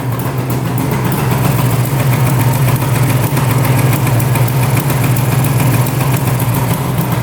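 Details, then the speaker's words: 1974 Suzuki GT750 "Water Buffalo" water-cooled 750cc three-cylinder two-stroke, 21,716 miles, barn-stored 30 years: running after adjusting the carb float tab, carbs not leaking; busy, even two-stroke burble at idle with no misses or surging, normal even idle. "Oh, awesome. Idling even."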